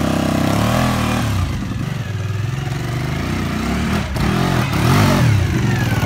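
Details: 1997 Suzuki TL1000S V-twin on its first test ride after muffler repair, new fuel pump and solenoid: revs rise unevenly and sag instead of pulling cleanly, bogging under throttle; owner suspects a vacuum part inside the airbox may be wrongly plumbed, unconfirmed.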